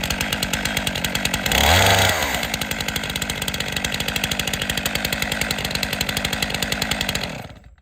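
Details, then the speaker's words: Chainsaw arm-lock start, chain brake engaged, stiff arm, pull start with right arm: one hard pull, catches into steady even two-stroke rattle then cuts off; healthy start and run. "it's a necessary evil to get the saw started arm lock start chain brake engaged stiff arm only operating pull start with right"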